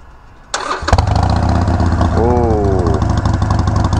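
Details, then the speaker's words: Harley-Davidson Iron 1200 V-twin with Vance & Hines slip-on exhausts: cranks and catches at once, settles to a deep, loping, even idle with a brief rev; sounds deep and rowdy, healthy. "oh yes it does those amazing that sounds amazing that sounds so rowdy it's so deep it is such a deep throttle"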